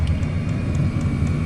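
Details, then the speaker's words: Chinese diesel heater with a 5 m extra-long 22mm copper exhaust, warming up after start: steady low hum with a light regular tick from the diesel fuel pump; normal operation. "Ticky noise you've got in the back there is the the diesel pump as it starts up can be a bit annoying that uh the ticking noise"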